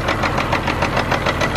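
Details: Caterpillar C15 diesel truck on a cold morning, just primed with ether, running off a bucket fuel setup: loud uneven clatter with irregular, stumbling beats at idle; rough misfire from dead injectors.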